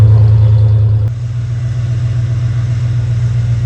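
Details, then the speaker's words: 1991 Ford Bronco 351W V8 after Bar's Leaks head gasket sealer and coolant top-up; deep even idle, no miss, knock or ticking, no smoke, power restored: normal idle. "We started this Bronco up again after checking all the fluids. It runs. There's no smoke. There's no excess of this or that."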